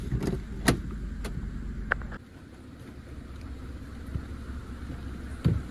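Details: 2018 Suzuki Celerio, 81,000 km, after clutch overhaul with new release and pilot bearings: steady low idle with a few pedal clicks, and the earlier clutch humming noise is gone.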